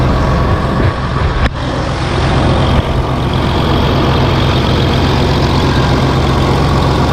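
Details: John Deere 8320T tractor, 8.1 L diesel, started with the valve cover off after the overhead valve adjustment: steady, even idle with a deep low rumble and no knocks or ticks; the valve train sounds healthy.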